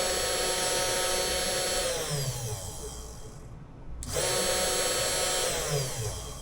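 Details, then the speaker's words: Cheap Amazon CNC milling machine spindle spinning, apparently fixed at 12000 rpm; high whine with gliding tones dipping and recovering under load, sounding rough and worrying; abnormal spindle noise, cause unclear, sound later improved considerably. "Звук, разве звук не плохой? Разве это не звучит плохо? Я просто беспокоюсь об этом..."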